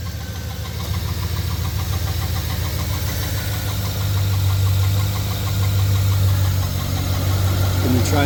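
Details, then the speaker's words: 2009 GMC Sierra engine running at idle just after start-up: a rough, fast ticking whir from the belt area over the low idle drone, traced to a worn tensioner pulley bearing. "all right I got my 2009 GMC Sierra here and when I run the engine when I start it up you can hear a noise that should not be there"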